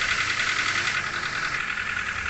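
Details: Nissan Grand Livina, idle, throttle body and EGR already cleaned, high rpm: fast sharp metallic rattle over engine note, worse when revved; dirty combustion chamber suspected, overhaul recommended; engine knock at idle.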